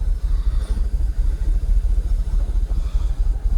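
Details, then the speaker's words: Jaguar XKR (X100) V8 idling after Denso coil packs fitted on bank 1: uneven, loping idle with stumbling pulses, multiple misfire pending codes, open loop fault and restricted performance returning. "multiple sisire multiple multiple misfire oh no restricted performance is gone again so they're pending codes pending"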